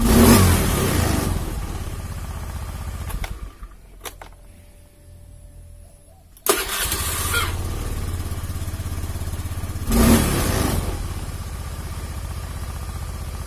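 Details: Honda Beat FI single-cylinder after the battery was replaced, earlier blamed for hunting idle and stalling on throttle. It cranks briefly, fires cleanly and settles to an even idle with one quick blip, starting readily and running smoothly.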